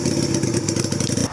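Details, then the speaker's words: 2000 Yamaha Virago XV250 with a drilled carb slide and shortened slide spring: revs hang up, then drop abruptly back to idle, an up-and-down hunting idle. Owner suspects fuel filling the slide and releasing; plans to replace the slide with the stock spring. "Alright, so I don't know if you heard that, but it was going up and down for idle. And I believe what's happening is that slide is getting filled with gas and then letting it all back out."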